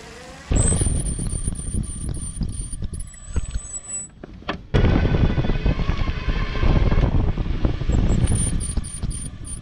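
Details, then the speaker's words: Fiido L3 e-bike with factory stock disc brakes, still squeaking after adjusting and cleaning: thin, very high wavering squeal with each stop over rolling noise; disc brake squeal, later fixed by a Zoom DB-680 caliper and Tektro E10.11 pads. "the brakes they squeak people say they annoy me decided to upgrade them"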